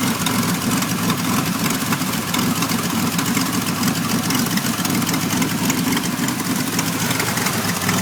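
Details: 1991 Pontiac Firebird V6 that now starts and idles, still setting codes 33 and 43: uneven lumpy idle with loud hiss over it; noticeably rough idle, cause not yet found.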